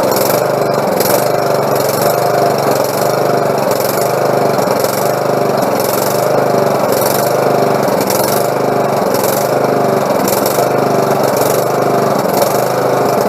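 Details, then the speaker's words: Lawnmower engine after a carburetor clean and repair with a pin removed: runs at a steady, even speed with a smooth buzz and no misses or knocks; sounds healthy. "there we go well sounds good i think she's gonna work everything's clean"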